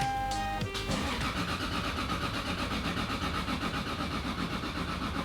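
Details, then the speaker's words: Single-turbo Toyota Supra project after new igniter fitted: starter cranks steadily about four turns a second and never catches; crank no start, cause not found, ECU diagnostics next. "and that's a no which means we're out of ideas"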